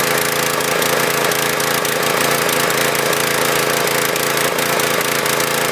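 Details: Husqvarna PW3200 pressure washer, Briggs & Stratton CR950 208cc single, flood-submerged in Hurricane Ian, bad gas and milky oil drained, pump oil not yet done: loud uneven beat stumbling and hunting, no smooth idle; rough running, cause unconfirmed.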